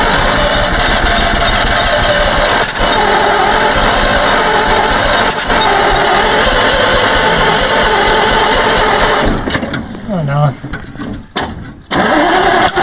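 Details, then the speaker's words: 1948 Bedford six-cylinder truck that sat 15-20+ years: long, steady, loud starter cranking that never fires. There was a small fire at the carburetor; the owner suspects the carb is full of debris and plans to check the needle; cause not confirmed. "it's trying um i'll try to give it one more time i just don't want to get that starter too hot it'll um burn it out and we've got no spare"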